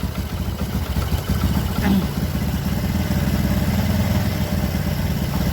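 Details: Motorcycle engine at idle after piston replacement, with oil now reaching the head following cleaning of the oil passage: steady, even low putter with no knocks or rattles; runs smoothly and healthy.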